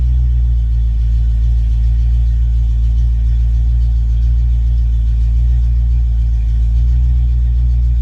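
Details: Ford Mustang Foxbody with rebuilt, tested A9L mass air ECU: steady even low rumble at settled closed-loop idle, no stumbles, surging or misfires; normal idle.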